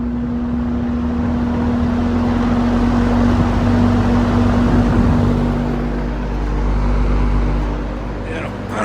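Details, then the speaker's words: Vintage Sears box fan with stand, runs on all 3 speeds both directions but motor somewhat warm after brief running: on high, a steady low fixed-tone hum under the airflow; owner suspects worn motor or bad switch, plans cleaning and oiling. "i have to pull that motor apart and clean it but based on the amount of hum that it has even on high you start it off on high here you can hear it"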